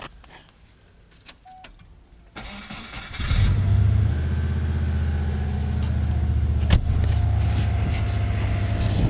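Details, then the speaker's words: Subaru Legacy engine on a test run with cam belt covers off, no alternator or cooling connected: cranks and catches, then a rhythmic tapping near four beats a second rides the idle; not tensioners or pulleys, seems internal, cause unconfirmed. "be nothing really um sounds like it just sounds like it's coming from inside the engine"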